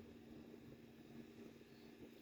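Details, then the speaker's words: Graphics card after its jammed, dust-clogged fan was replaced: a quiet, steady low hum with an even whir and no rubbing or ticking; it now spins fast where it used to turn slowly, and the old noise is gone. "লাগানোর পরে দেখলাম যে না আগের মতো শব্দ আর হচ্ছে না। হয় চালু করলাম। দেখা যাক কি অবস্থা হয়। আগে যে আস্তেটা ঘুরতো এখন কিন্তু বেশ জোরেই ঘুরতেছে"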